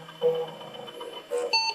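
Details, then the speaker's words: IBM PC AT 5170 found at e-waste, with 1 MB of memory: after the memory count at power-on, short clean POST beeps sound with the "system options not set, run setup" error (CMOS setup not set). Pressing F1 drops it into BASIC, and it later boots DOS 3.31. "okay systems options not set run setup let's go ahead and hit F1 and see what happens"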